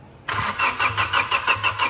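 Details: Flood-submerged car with a hydrolocked engine after draining water: fast, even starter cranking pulses about five a second with no firing, spinning the engine over to push out water.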